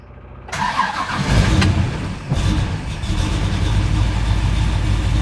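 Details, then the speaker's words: 1969 Pontiac GTO, first fire after converting from carburetor to FiTech fuel injection, no pedal pumping. A steady crank of over a second, likely as the pump purges air, then it catches and settles, holding about 900 rpm. Long cranking before start. "all right here we go almost i'm i'm guessing it's purging all the air out oh"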